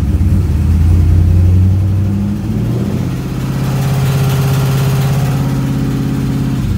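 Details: LS1 V8 with a valve train of about 1000 miles (LS7 lifters, hardened pushrods, dual springs, trunnion upgrade; rockers still tight): light, fairly regular tapping over the idle, rising slightly with a blip. Runs normally; owner suspects lifter or spun bearing, undetermined.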